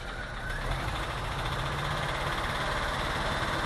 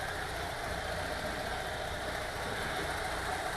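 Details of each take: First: VW T3 2.1L flat-four while driving: rough, lumpy running with the beat stumbling every few seconds and backfire pops; number two cylinder ran lean. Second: VW T3 2.1L after cylinder heads replaced to fix leaking number two exhaust valve that caused misfire and lean burn: even steady idle with soft uniform patter, no stumble or miss.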